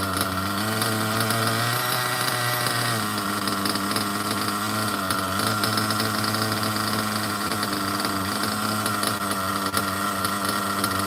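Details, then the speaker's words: OFNA Ultra MBX nitro buggy with 2-speed and Hyper 21 Turbo engine; tiny nitro buzzes high and steady after a brief blip, idling evenly without surging or dying, perfect tune. "Now that's an idle, baby. Look at how good that idle is on a Hyper 21. Can't beat that idle. Perfect tune."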